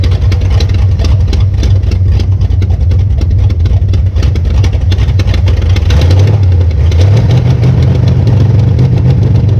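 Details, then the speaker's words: 1966 Belvedere after swapping a flooding cheap Quadrajet for a rebuilt used Edelbrock carburetor: deep, even idle then a clean rev climbing and falling back smoothly, no stumble; normal idle and revving. "Okay, this carburetor works way better than the other one. The other one was just flooding big time."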